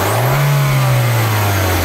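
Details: Hyundai Accent used as a known-good exhaust reference in a P0420 catalytic converter test, with a pressure gauge fitted and full throttle applied: deep, even roar held at high revs, no rattles, pops or hiss; normal full-throttle rev.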